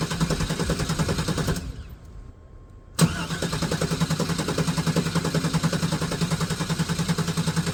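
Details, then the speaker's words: Neglected OBS GMC/Chevy V8 truck, first start after long storage: it cranks, catches on the second try, then runs with an uneven, lumpy pulse on old gas; it is not running on all eight cylinders and is left to settle. "It's not running on all eight, but it's going to sit in a minute. So, we'll give it a minute. Let it do its thing. Also, the gas is old, so let it do its thing."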